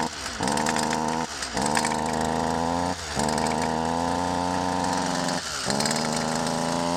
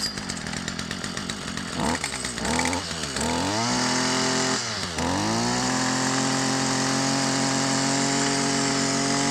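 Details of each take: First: Stihl FS 55 R two-stroke string trimmer that bogs and won't rev; very quiet, muffled, strangled drone dropping out and recovering, puffing smoke; carbon- and oil-plugged muffler spark arrestor screen, fuel mixed extremely rich with too much oil. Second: Stihl FS 55 R two-stroke trimmer that bogged and would not rev, after cleaning the oil-plugged muffler exhaust screen/spark arrestor with no carburetor adjustment: sharp blips climb cleanly to a steady high scream without bogging; revs out freely, may smoke from built-up oil.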